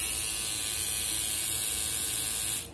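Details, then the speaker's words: Old GT tattoo pen at 7.5 V: steady, harsh high-pitched buzz with a rattly edge; owner unsure whether the motor or the mechanism makes the noise. "Tignan nyo kung gaano siya kaingay. So, so hindi ko alam kung saan nanggagaling yung ingay na yun. Either sa makina, sa mechanism niya para para gumana siya as pen, hindi ko na alam."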